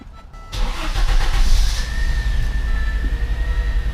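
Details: Audi 5000 CS Quattro just after installing the starter motor with a new solenoid: a brief crank, then the engine catches cleanly and settles into a steady, even run; starts normally.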